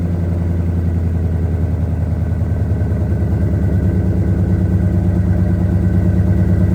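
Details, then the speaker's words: 2002 Ford F150 Harley-Davidson supercharged V8 with long tube headers, high flow cats and new mufflers, fully warmed up with full oil pressure: deep steady burbling idle, even throaty pulse, no ticks or knocks; healthy exhaust note. "I don't know about you, but I think that sounds pretty doggone good. I could be wrong, but that's what I think."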